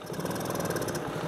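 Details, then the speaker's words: Granddaughter's small quad with a bad carburetor (slide tampered with), gears all work: small single idling with a light, fast tick over the exhaust beat, uneven and a bit rough; engine ticky but owner says not top-end, cause unclear. "So, engine's a bit ticky, and it's not top-end ticky, but, you know, it's fine for the kids to whiz around on if it blows up and put another engine in it."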